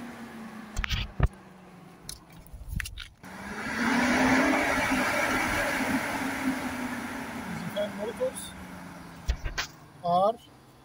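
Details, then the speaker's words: Radiator cooling fan motor from an overheating 2008 Ford Edge, bench-tested wired straight to a battery (DC motor, so reversing leads only reverses rotation). After handling clatter, a steady whooshing air rush builds and holds; the fan spins freely and runs normally. "so if you reserves the connections since this fan motor is a DC motor so it will just reverse it's turning"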